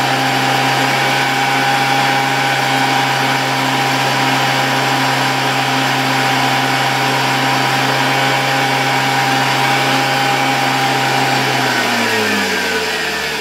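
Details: 1987 Zelmer 200.8 vacuum cleaner, original type 300 motor with new brushes, on a voltage regulator. Steady high whine with harsh crackling hiss, then a falling tone as it spins down; excessive brush sparking, owner also suspects overspeed.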